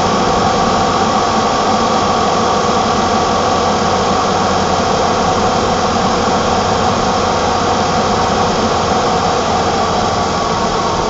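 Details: 1987 BMW E28 520i, M20 2.0-litre inline-six (129 PS), nearly 400,000 km, now running excellently; recorded on a phone with good low-frequency microphone; smooth, even idle with steady hum, no knocks, misses or whine; normal idle.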